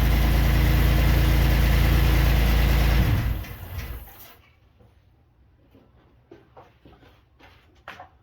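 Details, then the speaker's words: 3800 V6 swapped into a Pontiac Grand Prix GTP, first start on the second try: smooth, even idle for about three seconds with no miss or stumble; slight tick possibly exhaust, no misfires. "Alright guys, there it is. Started right up. I guess on the second try. That was exciting, nothing too dramatic."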